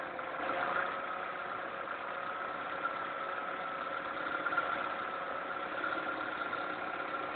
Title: Ticking Sound from the Engine